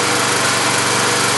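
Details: Tecumseh small engine warmed up in the yard, blow-by suspected through the carburetor: steady, even buzz at constant speed with no misses, knocks or surging; runs normally.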